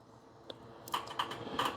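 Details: Bobcat zero-turn mower no-start, ignition switch and solenoid previously replaced: sharp single starter solenoid clicks at irregular moments with no cranking; intermittent power loss traced to corroded fuse holder/fusible link.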